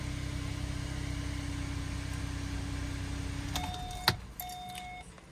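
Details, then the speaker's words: 2016 Kia Sorento 3.3L V6 idling after replacing all six spark plugs; steady, even low hum with no misses or ticking, then a door chime and shutoff; normal smooth idle. "As you can see, fired right up. And looks like we're idling good."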